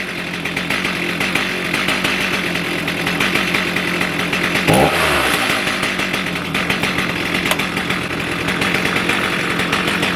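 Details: Stihl MS310 chainsaw after ignition coil/gap repair, restarted warm on choke (previously stalled when hot, about 2 minutes); fires up and settles into steady, even two-stroke buzz with one brief throttle blip; normal running.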